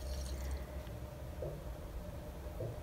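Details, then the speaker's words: Home heating circuit with pump running, water-column pressure about 0.8 bar: low, uneven gurgle and trickle of water as air is purged from the circuit; pump suspected airlocked, bleeding continues. "No i słychać że się od powietrza No nic trzeba sobie radzić z tym co jest"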